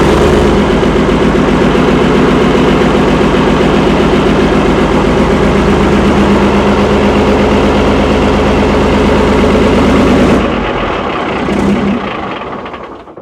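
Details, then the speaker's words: Chieftain tank's Leyland L60 multifuel two-stroke, revived after years sitting, at steady idle. Heavy, even beat of about four pulses a second, then a clean shutdown. It starts and stops properly with tons of oil pressure. "Engine's sweet. Turning on and off properly. Tons of oil pressure."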